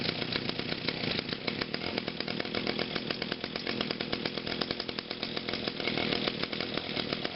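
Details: Brand-new 2011 Echo PAS 230, 22.8cc two-stroke, still breaking in and hard starting, running cold on a 92°F day: a fast, buzzy idle with a steady beat and no misses or rattles, so it is running normally.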